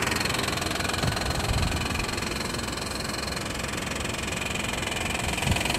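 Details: 1995 Honda Passport (rebadged Isuzu Rodeo), 3.2 V6, at idle: a loud, busy clatter of about three knocks a second over the engine hum, present for a while. The owner first suspected an exhaust leak but fears worse; cause unknown.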